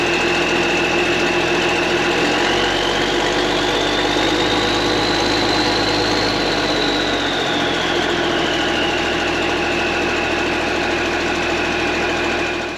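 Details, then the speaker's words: Engine at idle, not revved, with its old worn muffler fitted: steady idle with harsh, raspy exhaust note and wavering high tone; loud exhaust from worn muffler. "So that was just at an idle. I didn't want to rev it up for no reason. But you got an idea what it sounded like."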